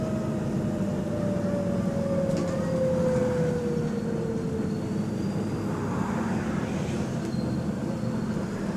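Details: Diesel bus (GAL WVN46, route 89) pulling away with a steady low drone and a falling whine: a slight exhaust leak is suspected, not confirmed.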